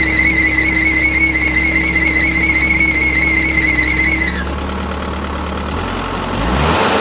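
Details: Final drive running: a loud, steady high-pitched squeal over a low engine hum; the drive itself was fine, and a weak charge pump kept the drive brakes from releasing, so they dragged.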